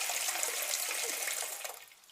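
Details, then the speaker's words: Old toilet cistern after repair of very loud flushing noise: soft, even hiss of water refilling, now quiet with no whistle, hum or hammering; normal refill. "Running. And it's quiet. It's a very quiet one."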